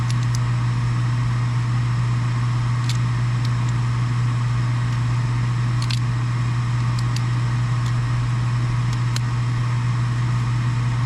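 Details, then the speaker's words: Furnace after replacing an extremely loud draft inducer motor: smooth, steady low inducer hum with a few faint clicks over it, no rattle or roar; sounds much better, furnace runs normally. "All right, let's go through the process of trying to turn this thing on again and see if we can't get it to fire up. That sounds much better now."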